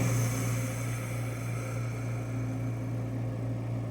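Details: Invacare HomeFill oxygen concentrator running alone before its compressor starts filling from 0 psi, drawing about 425 W: steady low hum with a faint even pulse near three per second, no knocks or squeals; normal.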